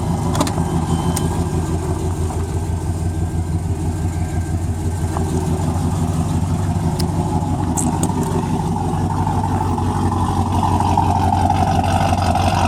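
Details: Freshly built 355 small-block V8 with ProFlo 4 port fuel injection in a 1993 Chevy C1500 Silverado, exhaust audible: steady, even low rumble with a smooth idle and no knocks or misses; running normally.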